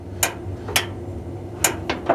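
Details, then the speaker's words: GE dryer drum-belt idler switch, dryer powered but drum not spinning after belt broke: sharp light clicks as the idler arm is pulled down, closing the switch under belt tension. "So when there's tension on this, it closes the switch or turns it on. When the belt broke, turns it off."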